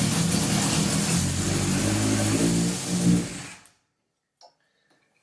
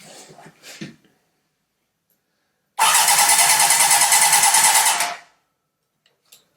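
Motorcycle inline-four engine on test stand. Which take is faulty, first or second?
second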